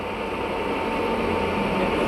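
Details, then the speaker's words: Baoji CS6266B lathe gearbox, ready to use: steady even mechanical hum with no knocks, grinding or rough patches, described as smooth rather than rough; gearbox running normally. "menurut Bapak halus apa kasar? Hah? Suaranya halus begini. Ya, suara halus."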